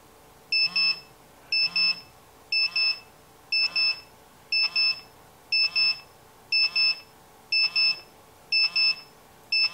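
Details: Radiation detector held against the radium-painted hands of a 1951 GE Telechron clock radio's clock. A sharp high double chirp repeats once a second, perfectly regular, as a radiation alarm.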